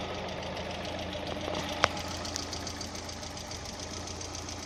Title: Стук гидрокомпенсаторов ВАЗ 16 клапанов